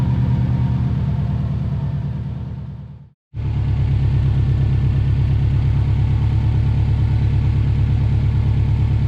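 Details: Version 5 WRX STI being fixed for a ticking engine, at steady idle: a deep, even burble with a brief gap and no obvious tick standing out over the exhaust rumble. Normal idle.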